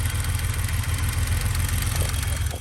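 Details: 1991 BMW 735iL after fixing overheating and bleeding the coolant, running without a thermostat: steady low idle rumble with even pulses and no ticking or knocking.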